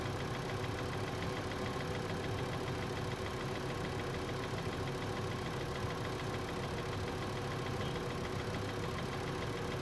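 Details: 2012 VW Passat 2.5L, 125k miles, cold start: fast, light tapping over a steady idle in the engine bay, heard for the first time; owner suspects bad water pump or belt tensioner, unconfirmed.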